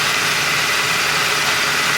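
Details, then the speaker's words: Turbo PT Cruiser GT on a 30° day after transmission reinstall with new clutch and a temporary seal fix: steady even idle with no misses, knocks or hunting; running fine. "runder on this actually working fine and running great 8 out of 10 good 8 out of 10"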